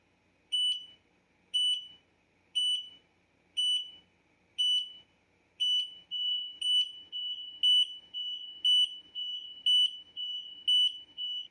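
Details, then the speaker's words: X-Sense interlinked carbon monoxide and smoke detectors (up to 18 linked) on test button: loud high beeps about once a second, other units joining slightly out of step; all alarms sound together and stop on release. "So I'm going to go ahead and test it for you so you can hear all of them sync with each other."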